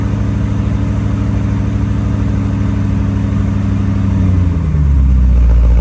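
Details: Porsche 928 V8 idles with a deep, uneven, loping throb, then the tone drops. It is running very rough, and the owner says it needs an "Italian tune-up" drive.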